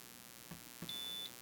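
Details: WEIZE 2000W inverter on a 100Ah LFP battery, input voltage ramped down on a bench supply: a single shrill beep under half a second, the low-voltage warning; output stayed on near 10 volts and cut off at 9.8 volts.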